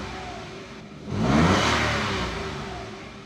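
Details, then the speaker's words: 2022 Toyota Wigo after new battery: engine revs briefly, then drops to a very low, uneven idle around 500 rpm, nearly stalling, no rise with aircon on; rough idle, cause not yet known. "ang baba talaga oh. R natin yan. Sobrang baba talaga minsan namamatay."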